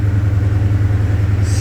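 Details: 2006 Ford F-150 V8 after replacing the cylinder 3 coil pack for code P0303, codes cleared and no check engine light. Deep, even idle with a steady low rumble and no stumble or skip. Normal, healthy idle.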